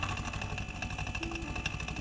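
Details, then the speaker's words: Beko refrigerator that still cools, with the suction line replaced after a leak. Rapid, regular knocking and vibration over the compressor hum; the refrigerant charge seems fine, pointing to an internal compressor fault. "ненормальный звук работы компрессора, стук"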